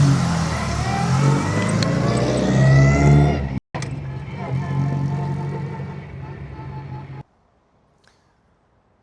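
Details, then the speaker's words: 1935 Aston Martin Mk II after full service (starter fixed, reverse gear jumping-out adjusted, greased), start-up and drive-away: engine catches quickly, revs cleanly, pulls away smoothly and fades; no misfires or clunks, healthy. "So let's hear the Aston start up and drive away."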